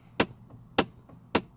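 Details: Chevy Trailblazer/GMC Envoy with air only from the windshield vents; sharp, regular clicks roughly every 0.6 seconds behind the dash over a faint running engine; cause confirmed as a faulty HVAC blend door actuator under the dashboard.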